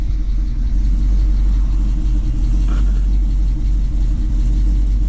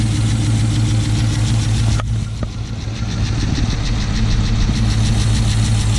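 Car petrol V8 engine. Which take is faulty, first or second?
first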